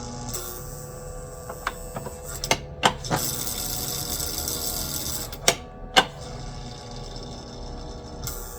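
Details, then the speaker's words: Lionel 6-18301 MPC-era FM Trainmaster locomotive after new truck installed (old truck had cracked gear): buzzing hum with irregular snaps and clicks, motor straining but never running, same problem as before; cause unconfirmed, may need bigger transformer. "Alright, let's fire it up, see what we get. Same problem it had before. Great."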